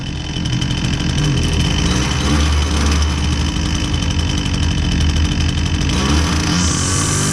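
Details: Husqvarna 122C string trimmer that previously bogged and only ran on feathered choke, after repair with fresh fuel: high buzzy two-stroke note holds steady then revs cleanly; normal running off choke.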